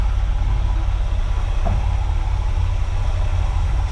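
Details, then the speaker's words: 1979 GMC Vandura G25 3/4-ton van after advancing ignition timing (factory about 8°), gaining 3–4 in of vacuum, aiming to avoid pinging: deep, steady even rumble, no ping or stumble, slightly better throttle response; normal running. "Gives a little bit better response, and that's good, too."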